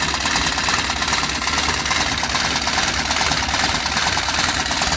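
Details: Antique sewing machine, tension too tight and breaking thread: fast, even mechanical chatter at steady speed, no catches or grinding; still works and can sew.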